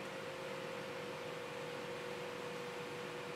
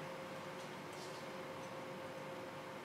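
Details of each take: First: Sapphire graphics card fan under manual speed control, speed being raised. Steady airy whir with a constant mid tone; the fan only starts at high speed because its internal controller fails at low RPM, not bearings or lubrication. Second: Sapphire graphics card fans (7950/7970/R9 type) after homemade PWM-to-DC adapter fix for faulty internal fan controller, at minimum RPM; quiet steady airflow hiss, faint constant tone, no ticking or rattle; normal fan at minimum speed.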